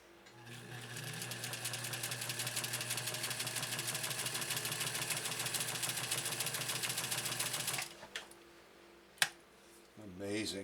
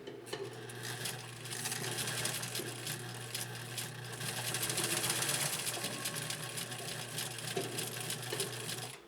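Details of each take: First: 1956 Atlas sewing machine with an oscillating hook, stitching 100% cotton at a shorter stitch length; fast, even, light needle clatter with no knocks or binding, running quieter than a Featherweight. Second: 1956 Atlas sewing machine with an oscillating hook; the needle clatters about four times a second over a steady low hum with a laboring note under load, the motor working hard because an underrated foot controller starves it.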